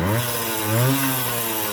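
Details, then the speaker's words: Vintage Honda MR50 two-stroke, warmed up and tuned, revved freely before a top-speed run. A buzzy note climbs and drops cleanly with quick throttle response and no misfire or bogging; the owner says it sounds smooth. "to me it sounds smooth let's rev her up"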